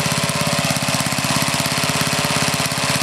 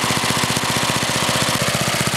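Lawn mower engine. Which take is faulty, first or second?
first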